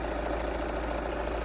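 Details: 2013 VW Jetta Sportwagen TDI diesel, 180,000 miles, idling right after fuel filter replacement: steady diesel clatter at an even idle, no stumbles or changes in pace; normal diesel idle.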